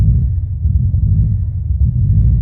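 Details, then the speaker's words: Stock, untuned Subaru WRX/STI just started after a Tial blow-off valve was fitted venting to atmosphere with recirculation blocked: a deep, uneven idle that surges and stumbles. Rough idle from unmetered air. "oh it does not like it guys sounds like a honda right now oh definitely not liking it absolutely not liking it"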